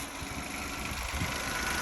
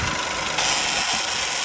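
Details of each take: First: Peugeot 107 after crank sensor replacement, previously would not start: short even steady small-engine idle with no misses, knocks or hunting; starts and runs normally. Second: Peugeot 107 idling just after a crank sensor replacement fixed a no-start: a fast, light ratchet-like clicking rides over a steady idle hum; the source of the tick is unclear.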